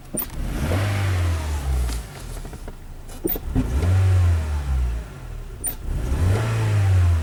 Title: Хонда Фит Двигатель L15A троит при нажатии на газ. У кого такое было? Honda Fit L15A misfiring.